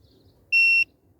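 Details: Battery tester connected to a Rover 45 CVT's 540 CCA flooded battery. One clean high beep signals the result: replace the battery; state of health 37, state of charge 98, internal resistance a high 14.66 ohms.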